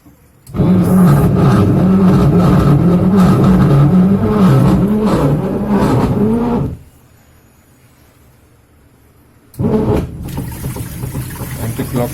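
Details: Vise VP85SA501G 8.5kg washing machine gives a loud, rough whirring roar with wavering low drone that stops and restarts; suspected gearbox noise.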